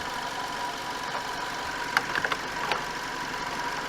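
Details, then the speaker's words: Chevy Malibu after radiator stop-leak treatment: a quiet, even idle with a steady hum, no misses and a few light taps. Temperature is fine, coolant is not rising and there is no mixing, so it is running as it should. "Well, she's operating like she should now. I mean, the temperature's fine."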